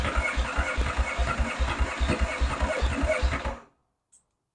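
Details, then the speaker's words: Yamaha XS650 chopper, first start after new wiring harness, points and ignition timing set: uneven lumpy firing about 2.5 beats a second, stumbling then dying; owner suspects timing still way off and carburetor jet not yet adjusted. "timing still got to be way off oh you know what I mean think about this I haven't even adjusted the uh valve jet that's definitely gonna need an adjustment"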